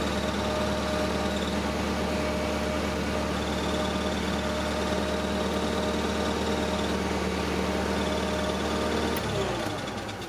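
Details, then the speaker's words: Squeal that sounds like the clutch throwout bearing on a KATU 2.5-tonne forklift at idle: a thin, steady squeak over the engine that dies away at shutdown. "so that sounds like something to do with the throwout bearing so looks like this morning's job is to lift it back pull this floor plate out here"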